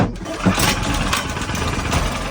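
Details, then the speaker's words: Harbor Freight Predator single-cylinder engine fitted in a Catalina 30 sailboat, just hooked up and running with no load before water pump is switched on: steady idle, no misses or knocks; runs fine. "It works. Sits there and runs fine."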